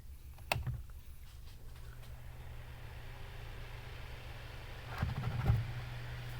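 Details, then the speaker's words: Bathroom exhaust fan on low speed after freeing, cleaning and oiling a seized motor that had hummed and turned very slowly: low, even hum without scraping or wobble, a couple of handling knocks; normal running. "oh look at that guys that is running so much better well look at that that is how this fan should run"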